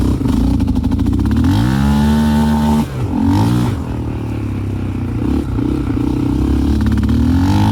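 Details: 2001 Yamaha Raptor 660 with Hotcams stage 2, cam timing not quite perfect, safety switches bypassed: misfires and stumbles below a certain low rpm, same with old and new carbs, then smooths and pulls hard; low-rpm misfire.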